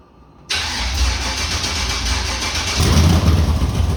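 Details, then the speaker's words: LQ4/LS3 V8 first start after fuel leaks were fixed, not yet tuned for the camshaft, long-tube headers or 43 lb LS3 injectors on an LS1 harness: brief crank, fires at once into a lumpy, uneven, loping idle; rough running. "okay so we got it running fired right up so I don't want to run it too long because I haven't done any recalibrating yet"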